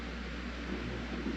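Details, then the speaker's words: Jeep XJ fuel pump wired directly (green positive, black ground), running dry with no fuel in tank: steady low electric hum, even whir, no knocks; normal fuel pump running. "I hope y'all can hear that. It's actually working. It just don't have no gas in it."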